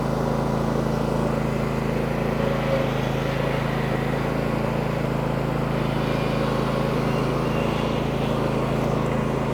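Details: Husqvarna 2242TDRF ride-on mower after reassembly and repair: steady, even engine drone with no knocks or misses; running smoothly, stronger than before.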